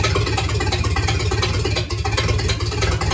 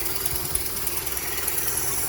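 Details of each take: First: Rebuilt 1953 Dodge flathead, 228 ci bored to 237 ci, very first start: loud open even firing, no knocks or misses, for several seconds before shutting off; healthy start and idle. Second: Rebuilt 1953 Dodge 237 ci flathead idling in neutral in garage, driveline unhooked, exhaust connected: quiet steady idle with faint hiss and light ticking puffs; owner suspects a tiny exhaust leak, unconfirmed, noisy at the back.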